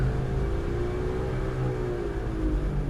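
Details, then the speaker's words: 2005 Buick Terraza after 4T65-E transmission replacement: deep, steady rumble with faint drone when only the driver's side front wheel spins; bad driver's side wheel bearing, not the transmission. "It's coming from the driver's side tire. You know what that means? That means I do have a bad wheel bearing."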